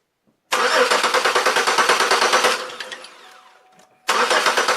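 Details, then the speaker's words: Chevrolet Malibu cranks but won't start: about three even compression pulses per second, stops, cranks again, never fires. No spark, fuel present; crank sensor suspected, knock sensor also considered. Unconfirmed. "I get no fire getting fuel I get I got fuel up here so that's sure there"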